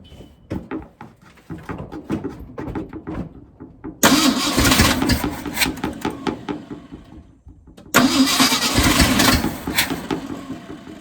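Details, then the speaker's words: 1971 Ford F-series bumpside wrecker truck, just after running out of fuel: rough uneven running with stumbling beat and bursts of cranking, ignition misfire on one cylinder; plug wires being checked to find the missing cylinder. "And now we have a ignition misfire. It's a proper technical term for that, I guess."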